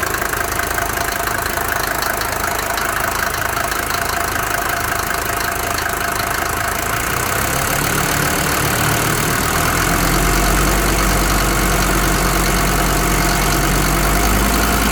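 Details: Mercedes 190D 2.5 OM602 diesel at idle: steady, rapid knock over the usual clatter; owner suspects bad hydraulic lifters or an injector, not confirmed.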